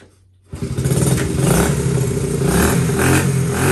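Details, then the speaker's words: Honda XL70 K0 after restoration: small single thumps into life and runs a little ragged and uneven at fast idle, not yet warmed up; cold engine running. "Yep, not warmed up."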